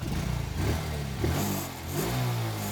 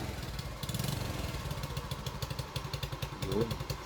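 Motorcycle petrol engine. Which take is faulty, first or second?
second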